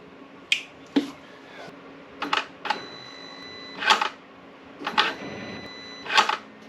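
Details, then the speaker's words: 2007 BMW X5 4.8i (E70) with starting trouble, after a new ground cable was fitted: sharp single solenoid clicks every second or two with no cranking. Voltage drop was verified by OBD2 scan tool and a new starter ordered; failed starter motor. "it sounds like the solenoid is pushing out the starter gear but that the starter isn't turning"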